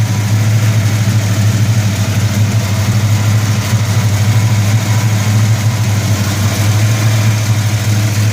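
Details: 1971 Dodge Super Bee, dual-quad 4-speed, cold start at idle: deep, steady low rumble with an even beat and no ticking or tapping from the top end, no upper engine noise heard; normal healthy cold idle.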